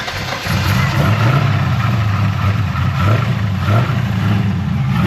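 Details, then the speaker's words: LS-swapped Infiniti G35, first start after new MSD plug wires, jumped due to low battery: deep, uneven V8 idle with lumpy stumbling pulses, possibly a slight misfire; no scanner codes, fuel delivery suspected, not confirmed. "Eventually the car started, but it ran like shit. And to be honest, I don't know why. It kind of sounds like it's still misfiring a little bit."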